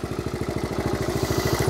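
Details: 1970 Honda CT70 Trail 70 single idling after sitting several years drained; fuel lines and clamps replaced, now runs like a top; crisp even putt-putt around eleven to twelve beats a second, no misses or clatter, normal idle.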